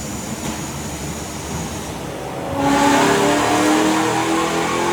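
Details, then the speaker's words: Supercharged BMW E90 M3 V8 on the dyno after a rebuild following an April 2023 engine failure, making about 580 hp: a strong, clean pull climbing smoothly under full load with no knocks or misses; normal. "oh man honestly I think you guys did not hear what I was saying because it's so loud in here but this is just perfect uh we made like 580 horsepower by the way"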